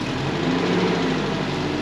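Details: Premier 118 NE car that sat unused a long time: steady even idle, low smooth hum, no knocks or misses; engine running healthily.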